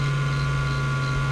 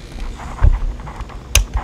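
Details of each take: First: Failing hard drive on a USB-SATA adapter with a worn main spindle bearing vibrating internally; a steady low hum with a fainter constant high tone as the spindle rumbles from the failing bearing and unbalanced platters. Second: Hard drive with a worn main bearing that made the platters unbalanced and rumbling, warmed and positioned so the platters hang with no bearing pressure; a few handling knocks, then a quiet, even spin; recognized by computer, not vibrating yet.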